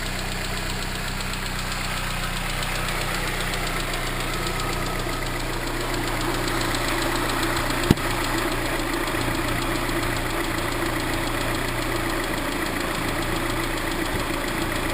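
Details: Chevrolet Cobalt SS supercharged engine at idle with a light irregular ping-type knocking rattle that began soon after the dealership installed a new tensioner; cause not confirmed.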